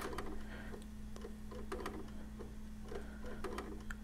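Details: PS4 Pro optical drive with a game disc inserted: irregular dry clicks and mechanical eject-like ticks over a steady low hum as the drive keeps cycling, giving an unrecognized disc error.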